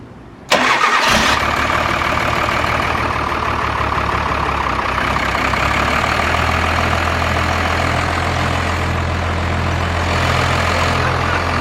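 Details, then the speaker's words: First-gen diesel dually starting after a new starter was fitted and the fuel shut-off solenoid addressed: short crank, catches at once and settles into an even, steady diesel idle with no misses or hunting. "it's so much different experience than the blue truck like it is quiet in here it does have timing in it"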